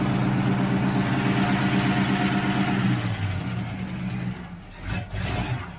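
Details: 1966 El Camino barn find, running after 12 years not run: even rumbling run settling smoothly to a steady idle, no knocks or misses; engine sounds healthy.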